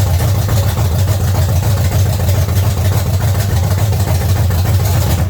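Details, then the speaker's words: 1970 Chevy C10 305 V8 after the new intake and carburetor: a steady, even low idle rumble with no misses, running well, though the timing is still to be set. "hopefully you tell our camera wasn't too loud but it's running amazing"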